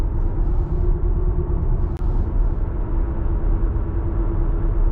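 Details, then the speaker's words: Audi A6 C6 Allroad while driving: deep steady rumble with faint droning hum over road noise from a bad front wheel bearing, before replacement. "So this is how the bad wheel bearing sounds."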